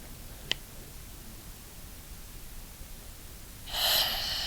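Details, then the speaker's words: Scuba regulator octopus (safe second) second stage on a tank: sharp click, then steady high free-flow hiss from spring tension set too light; the hiss stops once adjusted with the adjustment tool. "We're going to adjust it. So, there's hissing. Hissing stopped."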